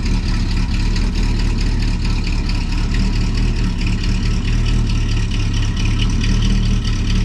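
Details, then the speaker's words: Old engine at idle: light, quick ticking keeping pace with the engine, really noisy; valve cover off reveals a loose rocker nut (held by little tabs) causing valve tick, needing adjustment. "Because I'd like to adjust that valve, wouldn't you? Mm-hmm. It's really noisy, really annoying."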